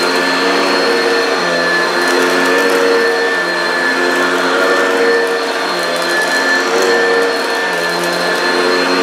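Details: Upright vacuum (American-made, Kirby, Oreck, Hoover or Maytag) passing over dense carpet with rice: loud steady motor whine with busy brush-roll hum, no rattles or surging; very noisy but picks everything up. Normal running.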